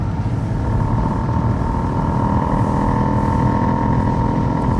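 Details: Mercedes S320L W220 under gentle acceleration: a buzzy rattle rides over the engine note, with no noise while cruising; cause unknown.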